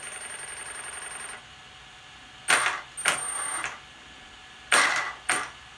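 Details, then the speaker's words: Brushless motor on an FG 1/5 Sportsline 4WD 12s car with MGM 400A ESC, P83 minimal starting power set very low, given light throttle: short harsh stuttering bursts in close pairs as the motor jerks; startup cogging. "that right there is cogging"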